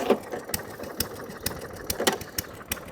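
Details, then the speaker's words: Atco Balmoral cylinder lawnmower that keeps cutting out, choke off: uneven spaced pops about every half second with irregular gaps, misfiring and hunting; cause not confirmed. "Sounds like an old hit and miss engine."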